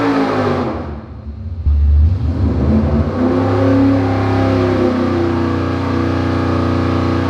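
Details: Dart 400 small-block Chevy for a '67 Camaro on an engine dyno, warm, after a power valve change fixed a lean misfire on roll-in: deep V8 roar sweeps up and holds a strong, even full-throttle pull; 581.9 hp, 34° total timing.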